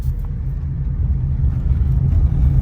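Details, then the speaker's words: Saturn driving after the unconnected motor mount bolt was installed to cure vibration (outer CV axle boot also replaced): steady low engine and road rumble, no knocks, shudder or clicking; smooth running, much better. "oh yeah that's much better that's much that's much much good much good guys"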